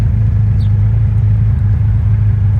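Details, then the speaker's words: 1989 Honda Goldwing after carburetor synchronizing with vacuum gauges: even, steady low burble with no popping or misses; gauges matching, carbs balanced, idling smoothly. "As you can hear, it's not popping anymore. And this gauge is now matching this gauge."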